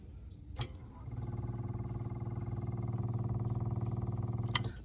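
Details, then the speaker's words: Generator during a test start, with fuel pump, fuel filter and air filter replacement planned; it had been surging and can be started with manual throttle. Soft, even, fast-pulsing hum for about four seconds; owner wonders whether the fuel pump is too quiet. "I wanted you to hear how quiet that fuel pump is, because I wonder if, that quietness is a problem."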